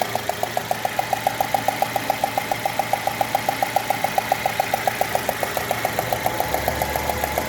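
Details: 2016 Citroën C3 1.5 with an engine noise complaint: sharp, even ticking at about three and a half per second over a quiet idle.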